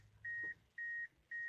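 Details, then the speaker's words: 1998 Mitsubishi Eclipse GS with manual clutch, not starting after being parked over a week: three clean high beeps at key-on, the normal warning chime, before cranking gives only a starter relay click. "put on my key turn it on you hear the beep there"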